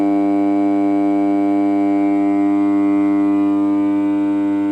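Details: Home theater amplifier using TDA2030 ICs (ICs OK) and a transformer: steady, loud low buzz at a fixed pitch, mains hum.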